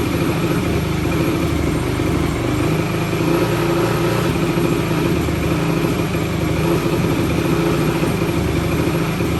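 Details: 2004 Yamaha YFZ450 quad showing zero compression on a gauge, started with brake cleaner sprayed into the intake: single-cylinder idles choppy and uneven, never settling into a steady rhythm; runs rough, cause not yet found.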